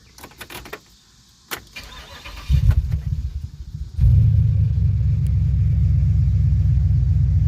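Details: 2007 Pontiac Grand Prix GXP after cam sensor replacement and crank position relearn: starter spins briefly, engine catches cleanly and settles into a steady, even idle with no misses, no warning lights; healthy start and idle.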